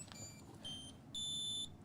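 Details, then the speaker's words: Anycubic Vyper 3D printer at power-on: three short bright electronic tones, each longer than the last, the final one held about half a second; the normal startup chime. "oh it made a fun noise and it's got an animation and it's a very easily seen screen"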